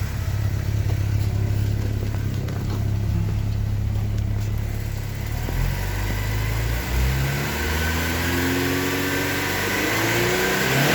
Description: A ticking noise of a 1989 Porsche 944 Turbo M44/52 engine.